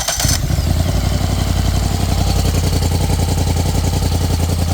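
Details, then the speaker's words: Polaris Sportsman 850 ATV that was knocking badly, running with the transmission removed, after the loose flywheel was dealt with: catches at once and idles smoothly with no knock; no rod problem, flywheel was the cause. "that sounds quiet now. Well, how about that? We don't have a rod problem. I think that was our issue."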